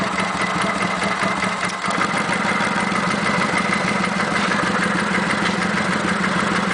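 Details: Kawasaki Vulcan 900 V-twin at steady idle with light, quick ticking over the beat and no knocking. The tick has been present since 1,000 miles, is on every VN900, and is normal.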